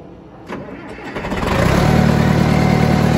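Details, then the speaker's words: 20+ year old John Deere 555 bulldozer, sitting for many years, new battery fitted: diesel cranks briefly, catches about a second in and settles into a steady, even idle with no knocks or misses; normal start. "goes that works too look at this guys this is awesome we got it started it's sick"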